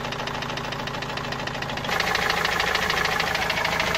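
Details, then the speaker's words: Opel Vivaro 2.5 diesel that developed the noise suddenly while carrying a load, then parked two to three weeks: hard hammer-like knock about three times a second over idle, growing louder; engine knock of unknown origin. "وهذا الصوت ما عم نعرف منين الصراحة، صوت مثل المطرقة يعني."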